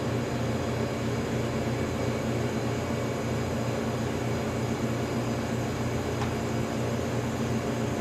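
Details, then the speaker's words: Antique General Electric CJ-1-C16 refrigerator, originally sulfur dioxide, now charged with R152A after reassembly; compressor starting under power, steady low even hum with no knocks or rattles, pulling the low side while awaiting high-side float circulation; normal compressor running. "Just like it should. When the high side float opens, we should hear circulation happening here."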